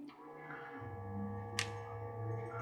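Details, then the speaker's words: Lemax Carpooling tabletop piece, powered on: low steady hum with no moving or clicking sounds, mechanism not moving; owner suspects a bad motor or broken gear. "so it's on you can hear it humming but nothing's moving so I think the motor's probably gone bad or we have a broken gear or something"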